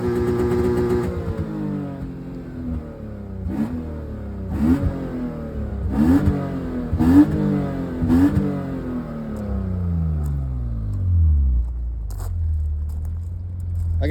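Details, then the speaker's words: BMW E36, nearly 30 years old, that sometimes misfires under load: several quick blips toward redline, each rising cleanly and falling back smooth with no stumble or pop; revs evenly, though the exhaust runs very hot and the owner suspects the cat. "So, I'm going to redline it real quick. You probably be able to hear it, but it sounds okay."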